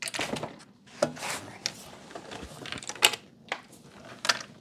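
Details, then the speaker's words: VTEK TM-50 manual SMD taping machine controller being tilted in its case during unboxing: scattered light clicks and rattles from a loose DIN-rail stop tumbling around inside. "uh-oh hear that we got rattle rattle is not good but yeah tape out controller this a VTEC tm50 I hope nothing's broken in it"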